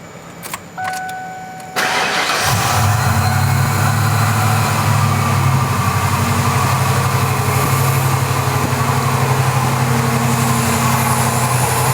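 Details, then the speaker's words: 1994 Ford Bronco XLT after a complete TTB steering upgrade, first start: it cranks, catches and settles into a steady idle with no power steering pump whine, quiet enough to hear injectors clicking. Previously it had a loud pump whine. "quiet as a church yes that is so crazy how much quieter it is compared to before no power steering wine at all I can hear the injectors clicking that's how quiet it is"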